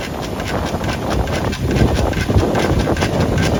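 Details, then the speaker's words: Toyota Avanza Veloz automatic while driving with light, partial braking, giving uneven clopping knocks about twice a second at the wheel. A warped brake disc rocks the caliper and piston side to side. "Oke analisanya itu dari piringan tadi yang oleng terus pas diinjak remnya tapi nggak full ya injak remnya nggak full jadi agak gantung gitu remnya makanya dia masih bisa geser-geser ngikutin dari piringan yang oleng"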